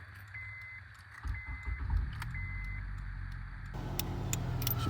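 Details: 2006 Honda Accord with a no-crank no-start, after reseating a connector restored power: key chimes, brief crank, then a clean catch into a smooth, even idle; starting system working.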